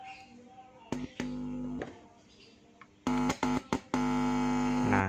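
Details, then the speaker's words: TDA2030 active speaker amplifier kit on 12 V, DC offset at the outputs measured zero; touching the tone-control input brings short bursts of steady buzzing hum that cut in and out cleanly, showing the amplifier channel works normally. "Hai nah Cafe Gang inputnya untuk tonkontrol ya Nah bisa kedengaran Dudut Dudut seperti itu ya suaranya"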